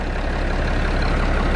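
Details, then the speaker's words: Road grader diesel after starting problem work and accessories installed, evening start, water level alarm went out, charging 14 volts: steady even low rumble, no knocks or misses; normal smooth diesel idle. "just sounds sweet he's like a glass of wine she just keeps getting better with age"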